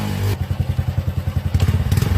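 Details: Fuel-injected single, which started poorly at low rpm, after its injector was removed, checked for a round spray pattern, cleaned and refitted, now idles with a steady, even thump and no misses or stumbles. Normal idle after injector cleaning.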